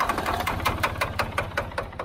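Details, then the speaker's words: Old Ford backhoe diesel, sat for years and ran out of fuel, started on starting fluid: sharp, heavy knocks about five a second as it fires hard and struggles to catch. Hard combustion knock from the starting fluid. "Come on, Betsy. I think I hate using that stuff. You hear how hard it's hitting? Oh, I hear it, man."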